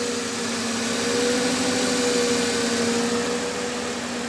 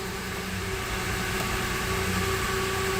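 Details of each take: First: 2008 Mercedes-Benz E280 after repair of cylinder misfire and unstable idle, injectors fixed, spark plugs fine: steady, even idle with a smooth hum and no stumbling or missing beats; normal idle. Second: 2008 Mercedes-Benz E280 with rough idle complaint, idling after the fuel pump was primed repeatedly: uneven pulsing idle that stumbles now and then; misfire from air still trapped in the fuel system, which cleared shortly after.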